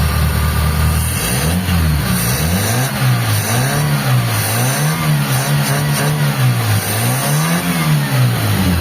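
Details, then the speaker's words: Mitsubishi Lancer EL carbureted, freshly overhauled, after fixing timing belt rubbing on crankshaft pulley (no more wobble): clean throttle blips, revs climb and drop smoothly with no knock, slap or rubbing; idle good, advancer still needs adjusting. "Ayan, maganda na 'yung menor mga boss. Ayan. So i-reb natin mga"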